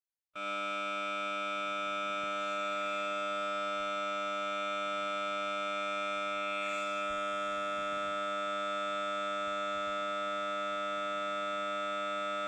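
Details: Samsung Note 9 phone speaker randomly emits a sudden steady, shrill siren-like buzz while playing audio; only a reboot stops it; cause unclear.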